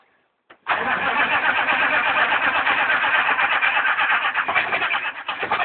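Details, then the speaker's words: Chevy 6.5L turbo diesel, cold start at about 32–35°F with new glow plugs: starter churns steadily about three beats a second for over five seconds and never catches; hard starting, cause unconfirmed. "So much for the new glow plugs. Fail."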